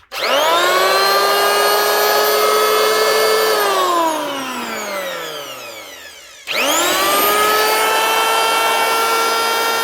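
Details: 2006 Makita 1923H 110 V corded planer after replacing all its bearings (it squealed before): spins up to a clean, steady high whine, coasts down smoothly and restarts evenly with no rumble or grind.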